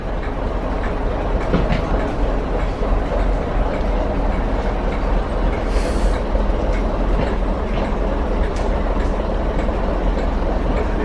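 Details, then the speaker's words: West Somerset Railway DMU diesel railcar at a station platform after standing idle for months. Steady diesel rumble under station noise with a faint squeal and clatter; the engine holds an even beat and is now running okay. "Because it's been standing idle for months. But as you can hear, the motor's running okay now."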